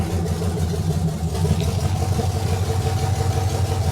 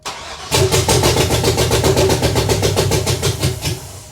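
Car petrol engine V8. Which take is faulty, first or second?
second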